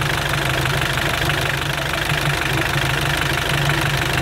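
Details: Mitsubishi L200 Sport GL diesel at idle: a heavy, fairly regular knock of about three per second over a rough rumble. Heavy blow-by throws a lot of oil out once the cap is removed, signs of a worn-out engine.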